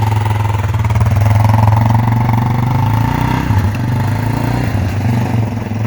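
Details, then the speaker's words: 1998 Yamaha Warrior quad after its loose spark plug was replaced with the correct tightened NGK. Ridden through the gears on ice, the single pulls steady and even with no knocks or misses. Normal running, somewhat low on power. "sounds healthy how was it Oh how's it all just work good yeah she smooth the steering is ever so effortless"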